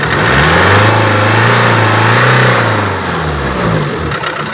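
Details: Renault Duster diesel, scan showed injector programming code fault: revs up and settles with a hard, rapid knock riding the engine note; uncoded injectors causing injection knock.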